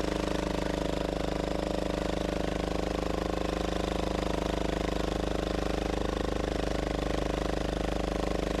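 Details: Gravely Model L repowered with a Yanmar L100-clone 10 hp diesel (ex-Aurora generator), first run after cracking and bleeding the injector line: steady diesel thump about three beats a second with a metallic rattle each beat from the loose, bouncing exhaust.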